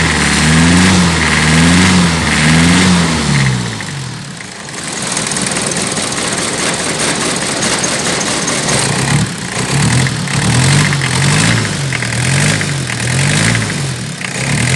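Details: Toyota 1C diesel with hard starting, shaking and noisy engine: long labored cranking, then loud running with uneven wavering beat and shake; hard starting and rough running, cause unclear.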